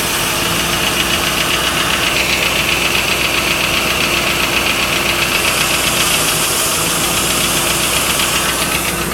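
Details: 1995 Lincoln Mark VIII LSC, Ford 4.6 DOHC at idle: sharp, fairly regular tapping around four per second; owner unsure whether lash adjuster tapping or piston slap/rod knock.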